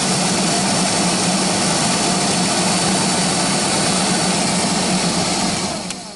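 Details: GAZelle heater blower motor, removed from the vehicle and run through speeds 1, 2 and 3: loud steady low hum with rushing whir, fading as it slows; bushings suspected, to be disassembled and lubricated.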